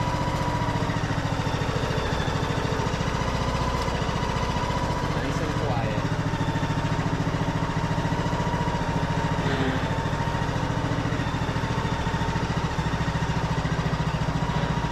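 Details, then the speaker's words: Craftsman YS4500 tractor, 21 hp single, driving on the hydrostatic drive after greasing: an even engine hum under load with no squeal or pulley chatter. It runs much quieter than before. Normal running. "so much quieter I don't hear any pulling noise at all engine's nice and quiet on here"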